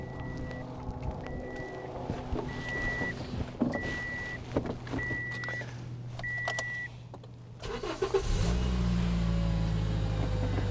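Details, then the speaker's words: 96,000-mile petrol, normally aspirated Toyota that wouldn't run; a rat's nest and chewed air filter had fully blocked the intake pipe and were cleaned out. A chime, then the engine starts and settles to a steady, even, sweet idle with no misfire. "I don't know whether the camera's picking that sound up, but that's the sound of an engine sweetly running."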